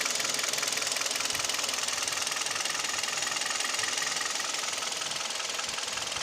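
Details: G4KD Hyundai/Kia Theta II engine: piston knock and vibration at idle, knock at 1500 rpm, noise pulling away under load (A/C compressor clutch, mirror, window and seat heaters on); recorded from cabin. Fast, fairly even rattling knock, two to three per second over rough idle; knock at idle.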